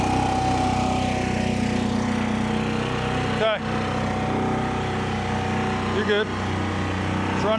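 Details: 2004 Kawasaki Mule 3010 petrol twin, earlier fitted with new coils: lumpy, uneven putter with lurching dips every couple of seconds, firing on one cylinder because one coil power wire was pulled off during rewiring; misfire from disconnected coil.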